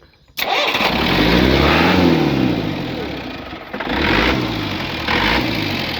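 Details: Swaraj Mazda Super XM direct-injection diesel truck, cold start after sitting 4 years. It cranks, then catches roughly, revs swelling and sagging unevenly before settling; a hard cold start after long storage.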